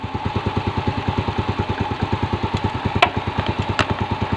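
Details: Yamaha Vega R New that was hard to start in the morning and weak on acceleration, after carburetor cleaning and air and idle screw adjustment. Quick even putter of about eight beats a second with faint clicks and no misses. Clean, healthy idle.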